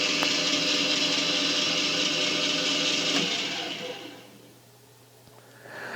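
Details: Ex-school drill press for sale running: a smooth, even motor hum with a steady spindle whir, then a clean run-down to quiet with no grinding or knocking.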